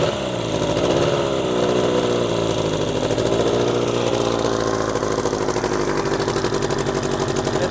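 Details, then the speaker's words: Old Evinrude 20hp two-stroke outboard after its spark plugs were cleaned and gapped: buzzy note that swells and settles with the throttle, pulling evenly, seemingly on both cylinders. "I don't know if it's everywhere, but it runs better now. Sounds like it's running on 2, don't you guys think?"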